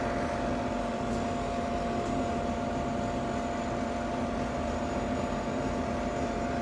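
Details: Ninja Foodi 8-in-1 cooker running cold, though the owner says the unbearable noise comes after it warms up: steady whirring roar with a faint constant whine and no knocks; runs far too loudly, cause unclear.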